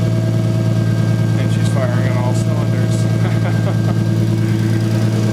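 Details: Toyota 1JZ VVTi inline-six swapped into a 240SX, after fixing an injector plug that wasn't seating right which caused a misfire: smooth, even idle with a steady low hum and no stumble or skipped beats.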